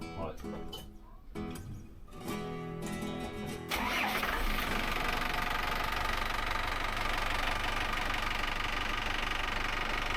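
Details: Volvo Penta AD31 diesel in Fairline Targa 28 boat, port engine, after raw water pump seal rebuild to fix sea-water leak: catches about four seconds in, steady even diesel run partly masked by music; runs normally.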